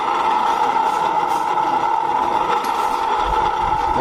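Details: Automatic scooter rear wheel spun by hand with a bearing removed for diagnosis: steady gritty mid-pitched whirr persists, so that bearing is ruled out.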